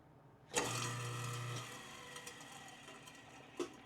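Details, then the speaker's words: Garbage disposal run after a jam was freed by working the impeller back and forth with an Allen wrench: sharp start, steady low hum with light rattling, then wind-down; it now spins freely. "So now I'm going to run this for a second so you can hear that it's all loosened up."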